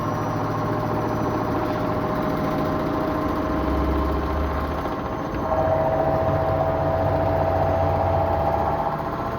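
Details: Beko washing machine rated for 1200 rpm spin: steady drum rumble with a thin, constant-pitch whine. Owner says it sounds like a Beko 2518C at 1000 rpm; spin speed lower than rated.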